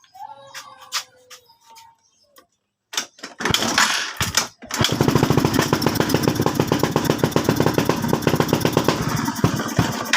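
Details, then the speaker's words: Suzuki Skydrive scooter, hard to start with unstable idle despite a new spark plug, still misfiring at idle after an idle-screw adjustment of one and a half turns; airbox removed next and air screw adjusted. "yun palyado pa rin so ang isusunod nating step diyan tanggalin natin yung kanyang airbox"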